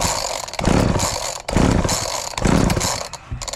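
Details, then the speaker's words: Homelite 240 chainsaw, owned about 20 years and long unused, with fresh fuel added. Three rapid pull-cord rasps about a second apart give a dry whirr with no firing at all. The owner suspects the carb, though the title says it wasn't the carb. "so all right it's not even hitting I think we got to take out the carb"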